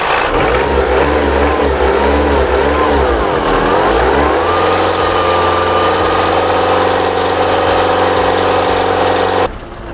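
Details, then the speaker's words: VW Passat B3 diesel just revived, with air still in the fuel lines: revs hunt and surge for a few seconds, then settle to a rougher idle; it ran smoothly earlier, so the owner suspects he misset the pump's initial fuel dose. "chodził elegancko równiutko nic się nie działo Także ja musiałem gdzieś zjebać dla ustawienie dawki tej wstępnej"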